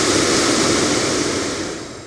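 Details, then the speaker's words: BMW 635 heater blower motor driven by an aftermarket PWM speed controller, ignition on, turned up to maximum speed: steady even rush of air, no rattle, squeal or wobble as it winds down; normal blower at full speed. "And works pretty smoothly and quietly."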